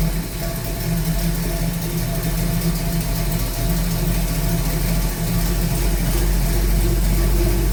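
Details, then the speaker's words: 1969 Pontiac Firebird in for a fuel/vacuum issue, very old fuel pump: deep, even V8 rumble swelling smoothly with revs, no misfires or knocks; normal idle and rev. "Sounds good anyway."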